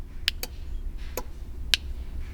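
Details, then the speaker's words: Honda S2000 stock exhaust valve: the actuator gets power and gives four sharp clicks over a low rumble, but the valve doesn't shut. It is stuck open, so the exhaust sounds nearly straight-piped. "This line is going to the box that's underneath the center console here, and you can hear it. You can hear it click, but the valve isn't shutting."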